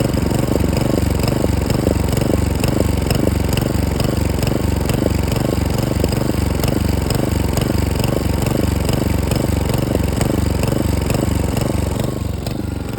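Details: Hyft60sp mower small engine chugging with an uneven, stumbling beat about twice a second instead of a smooth buzz. Engine misfire.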